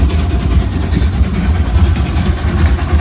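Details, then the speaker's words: Steam locomotive Mad Bess, Ruislip Lido Railway, heard from the loud cab climbing the bank with a lot of regulator open: deep, rhythmic, even chuffing, a clean, healthy exhaust beat under load. "You can see how much he's putting in regulator wise. Quite a lot. You can hear the exhaust on the engine. I'm trying to talk loud because it's quite loud in"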